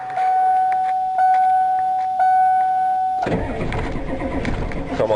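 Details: Truck "Ol Blue" started to move it out of the way: warning chime beeps a few seconds, then engine catches promptly and settles into steady run.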